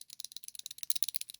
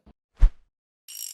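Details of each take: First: Worn 6204 sprocket ball bearing from a Muravei motor scooter reduction gearbox, washed and spun by hand: dry, gritty crunching rattle with uneven clicks; play in every direction, to be replaced. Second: Ant (Муравей) scooter reverse gearbox, after replacing bearings and reverse lever bushing to cure play in reverse shift, reassembled: one firm clunk as reverse engages, short dry lever scrape, no loose rattle; normal reverse shift.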